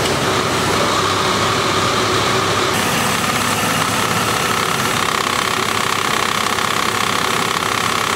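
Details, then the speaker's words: 2001 Dodge Dakota 3.9L V6, warm, idling in gear with AC compressor clutch engaged: dry rattle/clacking rising and falling with RPM, from a worn pulley bearing (idler) on the belt drive. "the symptoms we have which are noise going up and down with the RPM and also here the noise more with the compressor clutch engaged warm and the car is in gear it usually means that there's a problem with one of the pulleys or the bearing for one of these components up front"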